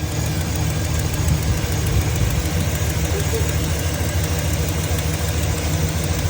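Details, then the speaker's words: 2009 Chevy 2500HD 6.0L petrol V8 idling with fast light ticking over a deep rumble: driver's-side exhaust manifold leak from a bolt broken off in the head, running rough and throwing codes. "I sprayed it last night with TB Blaster but you can hear the ticking got a bolt back here kind of hard to see that broke off"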